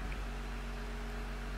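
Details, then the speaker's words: Jeep with a newly installed engine at its first push-button start, with several dash warning lights on and the transfer case in neutral; steady, even low rumble with a constant hum and no knocks or misses. Started fine, normal idle. "It just started. Like the carburetor didn't catch on fire."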